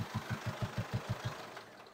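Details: 2019 Mercedes Sprinter, high mileage, intake pipe removed: about six even knocks per second over the idle, fading as engine winds down; louder with intake off, top-end clatter traced to a slipped rocker arm.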